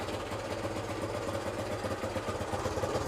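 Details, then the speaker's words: 1972 Honda CT90 K4 after carburetor rebuild, first start by new rider: small single putters at an uneven, lumpy idle with wavering beats; idle speed out of adjustment, being set at the idle adjust screw. "Okay. Well, it's got to be adjusted. You're the first one who ever started it."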